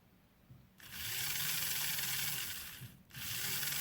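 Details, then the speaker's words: Old 0-6-0 diesel shunter model locomotive on a power test after soldering the connections, picking up current from the wheels. A high, steady motor whir that dips briefly and picks up again without stalling: normal running. "Picks up all right from those wheels. Perfect."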